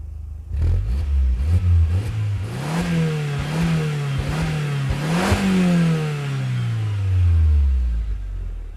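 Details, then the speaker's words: Audi TT MK1 1.8T 180 hp, front-wheel drive, stock exhaust: clean rise and fall through several sharp revs, pitch climbing evenly and dropping back smoothly; healthy engine, sounds good from stock. "donc voilà magnifique voiture donc on va vous faire écouter un peu le bruit ça chante assez pas mal déjà d'origine un petit moteur 1 et 8 et c'est vraiment sympa"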